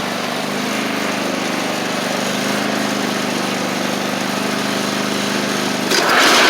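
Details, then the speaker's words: Cub Cadet Ultima ZT1 zero-turn with a bent 42" deck and badly worn blades replaced, deck test after remounting: even, steady blade whir over the engine, no slapping or scraping. Normal running; blades stay engaged with PTO off, suggesting a faulty PTO clutch. "I forgot that's what was happening last time I was here too, but y'all hear the blades are working fine."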